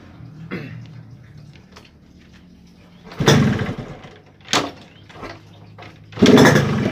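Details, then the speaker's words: Yamaha RX-King two-stroke, heavy low throttle and high fuel use: runs only on short throttle bursts, sags and nearly dies, won't idle; all four reed valve petals found open and leaking; rough running, won't idle. "dan motor ini juga tidak mau langsam ya"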